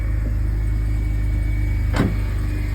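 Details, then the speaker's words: 2005 BMW Z4 roadster on new tires, engine running: thin steady high whine over a low, even engine rumble; owner doesn't know the source and says it'll probably go away in about 20 to 30 seconds. "You hear that whining? I don't know what that is, but it'll go off in probably like 20 to 30 seconds."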